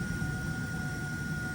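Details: Raypak natural gas pool heater after heat exchanger cleaning for rollout, wet insulation steaming off: steady even burner roar with faint constant tone, no popping or rumbling; firing normally, though water flow later found low (pump under 10 PSI).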